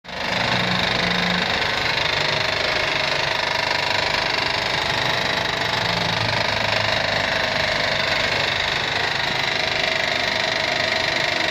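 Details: Honda 3.5 V6 petrol at idle: rapid, harsh metallic knock running steadily through engine note; owner suspects valve or connecting rod, plans to check cam timing and hydraulic tensioner, cause not confirmed.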